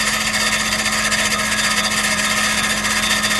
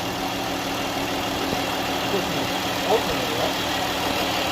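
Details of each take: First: 2012 Chrysler Grand Caravan 3.6L, no-crank complaint: harsh metallic grinding scrape over whirring drone while cranking, no catch, flywheel scraping something; cause suspected, not confirmed. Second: 2012 Chrysler Grand Caravan 3.6L after replacing the internally shorted alternator: even, steady idle with no flywheel scraping or rubbing; the noise is gone.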